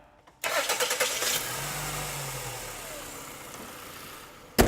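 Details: Toyota with accessory belt drive after tensioner replacement: quick crank and catch, then a smooth, steady idle with no belt squeal or chirp; starts and runs clean.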